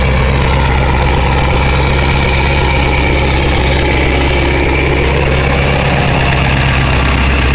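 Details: 2000 Ford 7.3 Powerstroke diesel cold start in 7°F Wisconsin weather (about 10 above said): deep, steady rumble holding even speed with no lope or stumble, white smoke; normal cold idle.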